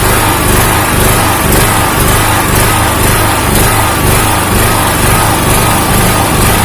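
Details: Honda GX160 engine on a 2000-watt generator hunting: a loud drone swells and sags about twice a second as engine speed rises and falls, and the governor is not holding speed. The cause is not yet known.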